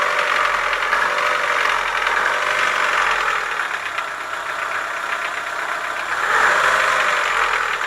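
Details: Chevrolet Lacetti 1.6 petrol engine with steady metallic knocking at idle, about four a second, swelling when revved: worn piston knock, cured by boring the block and replacing the piston group.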